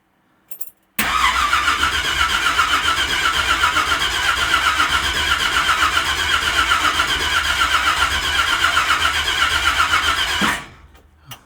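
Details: Project truck's first start attempt on a weak battery with a booster on boost mode. Steady starter whirr at about four cranks a second for nine seconds, never catching. No oil pressure shows on the gauge and fuel had not yet reached the carburetor: cranks but no start.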